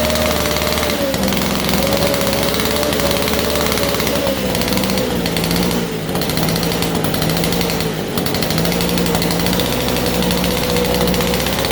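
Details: 1947 Chicago-made two-stroke Mall 6 ft chainsaw, barn find unrun for over 40 years, first start on a cold day; loud, steady two-stroke buzz at even pitch with no misses or surging; running and idling normally.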